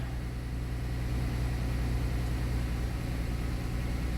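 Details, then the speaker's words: 2007 Dodge Nitro after fuel tank drop and fuel pump replacement, 6 gallons added (gauge wrongly reading full): finally starts and idles steady and smooth with even rumble, no stumbling; normal idle, no leaks. "All right. Thank God. Ah, it's alive. It's alive."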